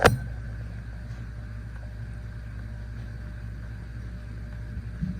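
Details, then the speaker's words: Old 52-inch Encon Contempra Supreme hugger ceiling fan with a spinner motor, on low speed via a Lutron Skylark three-speed control, recorded close up: a steady low drone with a faint higher whine, the motor humming. "This one's actually more quieter than the first one because it runs on a three-speed control, a Lutron Sky Lark three-speed control. But this one still makes a humming noise."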